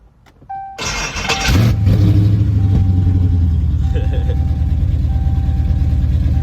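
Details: Charger with a freshly completed 392 Scat Pack V8 swap: a starter whirr, then the V8 catches and settles into a strong, even rumble with a quick rev; a healthy start with no knocks.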